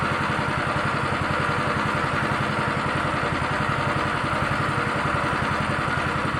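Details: Honda Beat injection scooter with rough starter, hesitation on initial throttle: small single idles with an uneven, stumbling beat about two pulses a second; rough idle, cause not yet found.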